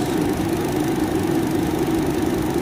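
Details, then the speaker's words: Car at about 114,000 km, idling, after replacing the worn radiator fan motor: an even, steady whirring hum with no rattle or wobble. The new fan runs very smoothly compared with the severe shaking before. "nah bosku terlihat ya ini sudah diganti dan hasilnya sudah nggak goyang lagi nih sangat halus getarannya ya kayak yang tadi ya yang tadi sangat parah anteng banget"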